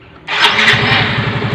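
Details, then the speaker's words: Yamaha Mio M3 125 scooter after engine repair for a knocking (kemlatak) noise, conrod about 50% and crankshaft bearing worn but unreplaced: quick clean start settling into steady, even idle, no top-end ticking; previously rattled. "Nah suara mesinnya seperti ini. Oke, bisa didengar ya. Yang sebelumnya letek kawan ya."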